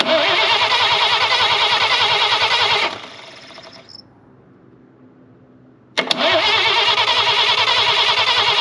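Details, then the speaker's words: Chevrolet Blue Flame stovebolt six, out of the truck, cranked with points ignition checked by test light, no carburetor fitted yet: steady cranking ~3 beats a second, pause, more cranking, no catch; spark present, no fuel. "yep we got spark so next we need fuel"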